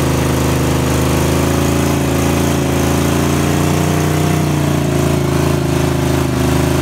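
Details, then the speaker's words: V8 car with a known bad motor, running and doing a burnout: a loud rough drone with rapid internal knocking. The car has dropped two feet on one side, and the owner suspects oil runs away from the pump pickup in the pan's back corner. "it's probably running to all away from the dang but that's probably reason it's knocking some bad cuz all the walls away from the dead gum oil pump it's in the back corner of the pan"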